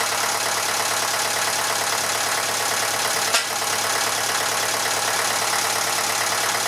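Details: Massey Ferguson 35 (835) tractor with Standard 23C diesel, restarted after at least a year: steady, even idle clatter with no misses or knocks; a bit of blow-by expected for its age, suspected hose-clamp coolant leak; normal idle.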